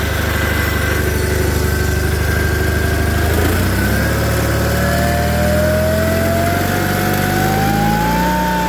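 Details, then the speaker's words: John Deere 318 garden tractor with Onan B43G twin, after fixing rough running with OEM points and condenser plus full tune-up (plugs, wires, filters, oil, timing): runs smooth and steady, pitch climbing evenly with revs, no misses or popping; healthy. "So we've got this one running good."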